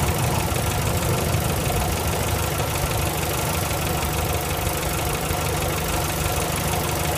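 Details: 1965 Morris Minor four-cylinder after owner rebuild (stripped engine, valves ground in, new gaskets, gearbox, clutch, hoses, mounts): steady, even low idle with a soft regular beat and no knocks or misses; healthy.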